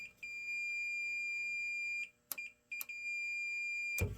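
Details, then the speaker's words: Midway Seattle arcade board (Atari Vapor TRX), multimeter continuity test of a suspect surface-mount chip to ground, checked against a second board: steady high beeps in bursts as probes touch, showing something is wrong with the chip. "Okay, just wanted to make sure it wasn't a short or false short or anything, but yeah, there is definitely something going on with this chip here."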